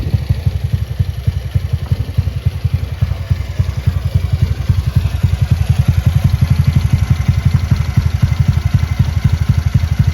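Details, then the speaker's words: Honda Beat bored up to 120cc, just reassembled and first running, camshaft without ADS, compression 12, stock injector, ECU not yet remapped, CVT still to do: steady even single-cylinder idle with no knocks or rattles. "Oke, teman-teman. Mesinnya sudah menyala sekarang. Tinggal mengerjakan bagian CVT-nya saja."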